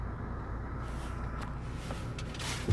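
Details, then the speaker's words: Hyundai Tucson after brake work with all-new parts, stopped with foot on brake in neutral: low, steady idle hum with no squeal or grinding. Quiet brakes, no noise with brake held. "Fala Galera tô parado ó tô com o pé no freio não ouviu falar"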